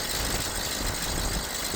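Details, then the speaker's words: 2011 BMW 118i E87 1.8 petrol four-cylinder, after replacing faulty coil packs for misfire codes P0300–P0306 (three cylinders misfiring): even, quiet idle with no stumble or vibration, smooth steady hum under some hiss; all four cylinders firing, normal idle. "I've just started the car up. It's running a lot more smoother. There isn't any vibration from the engine, and all 4 cylinders are firing up nicely."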